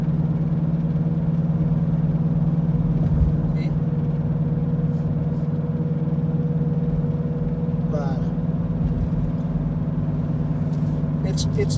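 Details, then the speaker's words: 2014 Ford Escape, front driver-side wheel: steady low helicopter-like droning hum over road noise at highway speed (about 80 km/h and up); owner first thought transmission, mechanic diagnosed a worn front wheel bearing. "i thought i thought for the first time that it was a transmission but uh last night that it was the wheel bearing it looks like helicopter right"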